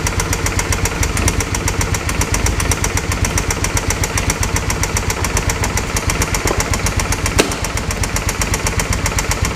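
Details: Original 39,000-mile engine of a 2005 Suzuki V-Strom 650, started on jumper cables with the oil never checked: sharp knocks about four a second over a rough idle, a heavy lower-end rap. Rod knock, later fixed by an engine replacement.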